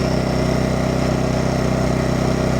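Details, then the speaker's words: Champion 2500 W dual-fuel inverter generator, brand new, first start on propane, eco mode toggled off and on: smooth, steady engine beat at constant speed, no misses or rattles; sounds pretty good, normal idle. "There's eco mode off. There's eco mode on. Sounds pretty good. Start right up."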